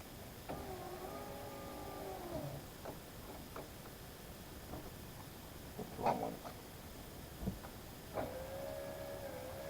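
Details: 2011/2012 Subaru Legacy power window after replacing the cable-driven window motor/regulator assembly (window had been stuck up): smooth steady motor whir through the travel, no grinding or clunking; normal operation.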